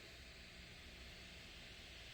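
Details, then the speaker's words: ASUS GL504G laptop after fan removal, repair and thermal paste replacement; CPU and GPU fans spin with a soft, even airy hiss and no rattle, tick or whine, running quietly. "and it does sound quiet so i think we got a success"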